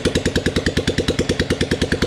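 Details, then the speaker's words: 1997 old-model Royal Enfield Bullet, CI engine's first start after full rebuild, kick-started, no silencer fitted: loud, sharp, even single-cylinder thump about nine beats a second, rpm brought down; normal idle, just noisy without silencer. "Silencer नहीं लगाया ना, इसलिए उस side में आवाज़ बहुत ज़्यादा आ रही है। लेकिन ये इंजन फर्स्ट टाइम स्टार्ट हो गया पूरा बनने के बाद।"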